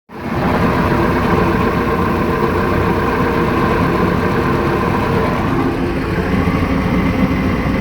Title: Mercruiser 3.0lx rough idle